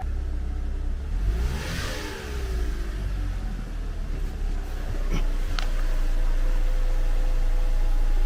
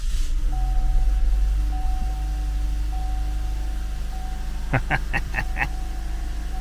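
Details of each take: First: 2014 Cadillac CTS 2.0T running after a new timing set and head gasket; revs unevenly and sounds held back with odd clicks, in reduced power mode from the unplugged fuel pump; codes cleared afterward. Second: 2014 Cadillac CTS 2.0T at steady low idle after new timing set and head gasket, even hum with faint whine, no knocks or misses; some smoke expected from burning off exhaust coolant; runs smoothly.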